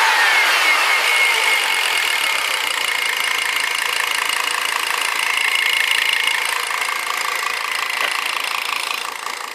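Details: 1999 Volvo S80 2.0 T5 (B5234T3) running: fairly regular rapid tapping about four per second over the engine; knock audible, cause unknown.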